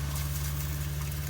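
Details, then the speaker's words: Rockwood Mini Lite 2205S RV water pump, primed and pumping antifreeze through cold and hot lines during winterizing: steady, even low hum with no surging, stuttering or rattling; normal pump operation. "you could hear the pump running"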